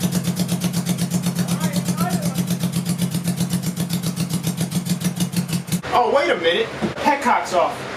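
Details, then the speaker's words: 1980 Honda CB750C four-cylinder engine in a go-kart, just swapped to two Mikuni 34mm carbs each feeding two cylinders, air filters off: lumpy, uneven idle pulsing about four a second and stumbling; some cylinders firing, others just going through the strokes. "it did sound like I'm struggling a little bit and I went and felt under the headers and air was coming out but some of them felt like it was actually firing in the combustion chamber and some of them just felt like you're just going through the strokes without"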